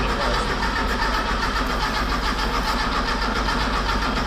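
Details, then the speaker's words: Car with distributor, in neutral with handbrake on: starter drags the engine over sluggishly and it never catches; slow cranking, no start. "Okay. Okay. Yeah. It's still very slow."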